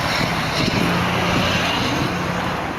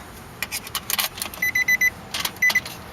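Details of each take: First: 2003 Nissan Altima 2.5 with blown engine, sitting 8 months, jump-started from a 2006 Ford Expedition 5.4 V8 after weak battery: engine catches and settles into a steady, even low rumble with no misses or knocks. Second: 2003 Nissan Altima 2.5 S with blown engine, sat about 8 months, weak battery jumped from another vehicle: chime beeps then fast even cranking that never catches; no start, low compression, flywheel reportedly bad.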